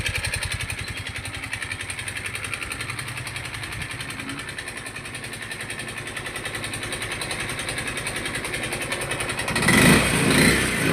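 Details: Yamaha Mio i 125 scooter engine running with a rapid, steady tapping knock and loss of power after running short of oil from missed oil changes; compression, cam and bearing reportedly still okay.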